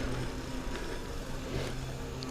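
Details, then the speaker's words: Five-year-old mountain bike after fixing squealing disc brake pads believed to squeal from vibration: riding test braking front then rear, only low rolling rumble, no squeal. "пробуем передние тормоза нажимаем вроде быть тишина сейчас попробуем задние тормоза разгоняемся нажимаем"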